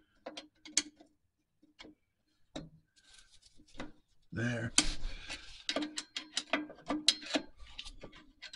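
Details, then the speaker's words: 1949 Chevy 3100 pickup Huck brakes being adjusted at 3,000-mile maintenance: hand-spun drum gives scattered clicks, then a light scraping rub each turn as the shoe starts to drag, drum now barely spinning. "you can hear that it started dragging some more I can still spin it a little more now I can barely spin it"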